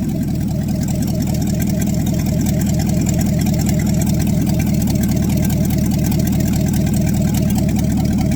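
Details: Cold start after sitting overnight in a closed shop, manifolds around 10°C; carbureted engine on open headers gives a loud, deep, even rumble at steady idle with no misses or knocks. Healthy normal idle.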